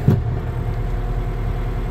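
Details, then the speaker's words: Kioti RX series tractor (RX6030) diesel, hydraulic remote lever in float with nothing connected: steady, even idle with no pressure relief valve hiss, revs back to normal; normal idle, no relief valve hiss. "what you would have noticed that the engine revs have gone back to normal idle and you can't hear the hydraulic system pressure relief valve go off you can't hear the hiss"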